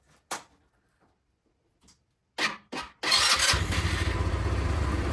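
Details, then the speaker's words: Tao Motor VIP 150cc GY6 four-stroke scooter, after its carburetor was removed and reinstalled and a test drive done: a couple of clunks, then it fires right up into a steady, even idle with throttle response; healthy start. "Fires right up. Fires right up. There is throttle response."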